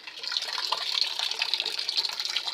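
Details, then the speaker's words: LG WF-S8005 single-tub top-loading washing machine whose tub will not spin: steady hiss of tap water filling the tub, even with no valve chatter; inlet and program work normally. "Hai semua program ia berjalan normal Hai aba Gan air kran Hai juga berjalan normal"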